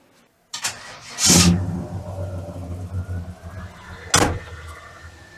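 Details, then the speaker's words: 1987 GMC Jimmy with new mini starter, cranked with air conditioning left on and no choke; brief cranking, then catches and stumbles at low uneven revs; rough start under AC load. "Always forget to turn the AC off before I crank it. Doesn't really like that, it doesn't have a choke,"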